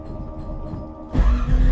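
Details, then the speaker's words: 1979 Camaro, 427 small block with solid roller big cam, 107 LSA and tunnel ram, on Flowmaster FX mufflers with tailpipes, started cold: lumpy uneven idle, bucking and popping. Owner suspects raw fuel through the cold intake causes the backfires; it settles once warm. "You can hear it bucking and farting. It's a bit of a bear when it's cold."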